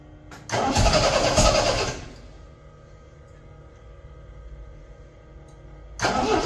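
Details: 1975 MGB running off a five-gallon gas can after first start: uneven, stumbling run that never settles; owner suspects wrong firing order or distributor cap on backwards; misfire.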